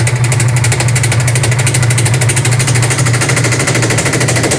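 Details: Loud, rough hammering at about three blows a second throughout the spin of a Sharp automatic washing machine's very noisy spin dryer; the tub assembly is defective and bangs as it spins.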